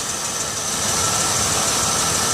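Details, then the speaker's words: 2006 Chevy Uplander wheelchair-accessible van, 175k miles: a steady, even idle with a smooth hum and no knocks or misses, and no visible leaks. Normal, healthy idle. "let's listen to it run listen to it run s just fine"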